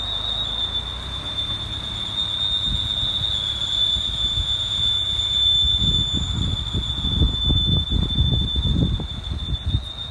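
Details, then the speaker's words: 2011 Mini Cooper Clubman while driving, check engine light on; piercing steady high squeal like a smoke alarm over low rumbling, coming from under the hood, cause not determined. "See if it makes a noise again. Hmm? Sounds like one of those smoke alarms."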